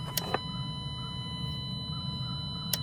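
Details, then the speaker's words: 2017 Dodge Journey with a P0202 misfire, scan-tool active test of fuel injector control on cylinder 1. Sharp, crisp ticks over a steady low engine hum as the injector clicks on command; normal injector response. "if you watch the screen close right there it flashes on the screen and you can hear the injector"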